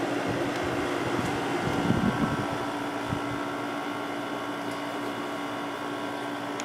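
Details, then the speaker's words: Windmill 6,000 BTU window air conditioner, newly installed in window, cool mode set to 60, low fan; compressor audible as steady low hum under even fan whoosh, no rattles; quiet, normal running. "I mean, you can definitely hear the compressor, which I think is fine. I like the way it sounds, but um it's definitely a pretty quiet unit."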